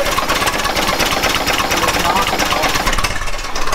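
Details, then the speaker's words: Old Ford Model T engine just after starting, with a suspected ignition problem. It runs rough with a rapid metallic rod knock through its clatter. "can hear it knocking. Oh yeah, she's knocking pretty good."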